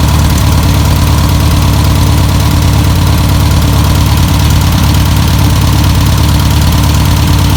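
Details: 1962 VW Type 2 bus/Kombi flat-four, first start after sitting over 40 years, running off its own tank: steady, even low chuffing idle at about three beats a second, no misses or knocks; normal idle.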